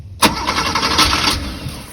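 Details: 1986 Porsche 911 Targa, not started in over a decade, with new fuel pump and fresh battery. Quick, even starter cranking with a brief catch or two, but it never runs. A fuel leak at the rear is suspected.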